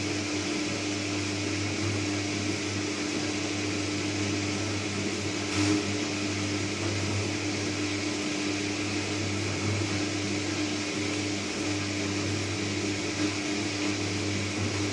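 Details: New Candy Trio 9501/1X running loudly: a steady low hum with a fixed droning tone over a constant fan-like rush, an unusually loud humming resonance.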